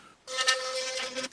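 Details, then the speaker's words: Philips Sonicare toothbrush after repairing the loose tip/neck (internal screw secured): clean, steady mid-pitched buzz about a second long, even level with no rattle or dropout; vibrating normally. "I tell you what, I just had it in my mouth and it works like it should."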